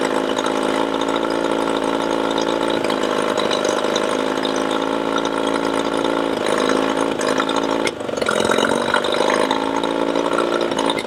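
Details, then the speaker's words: Yamaha 20 HP two-stroke outboard running: speed rises and falls with a sharp sneeze and dip; fluctuating RPM and lean sneeze, a classic symptom of a suspected vacuum leak. "is it runs okay, it actually accelerates, does its little sneeze, goes back, accelerates. So it has this fluctuating RPM, and that's a classic symptom of a vacuum leak as well."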